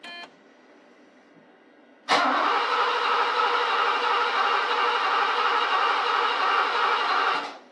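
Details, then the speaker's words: 1987 Mercedes 560SL R107 after rebuilt KE-Jetronic fuel distributor installed, first start attempt in 16 years; starter spins evenly about five seconds with no firing; cranks but won't start, owner smells fuel and suspects an electrical fault, not fuel starvation. "nothing sounds like we're in worse shape than we were cuz I can't even get it to start now you know that doesn't sound like fuel starvation to me there's something else wrong"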